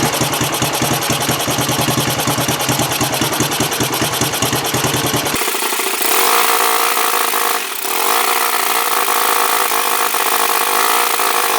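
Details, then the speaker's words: 1974 Honda TL125 single after cleaned points, timing set, carb cleaned and fresh gas: quick, even putt-putt idle with no skips or pops, revs rise cleanly; running much better. "okay here we are fresh gas in it an ignition tune up with cleaning the points setting the timing cleaning the carb better all right much better"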